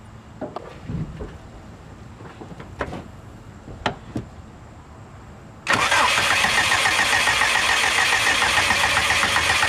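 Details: Subaru no-start: quiet clicks, then a steady starter churn of about four beats a second for four seconds that never catches, after a new fuel-map value was burned in. Fuel pressure is present but dropping slightly; spark plugs are to be swapped next.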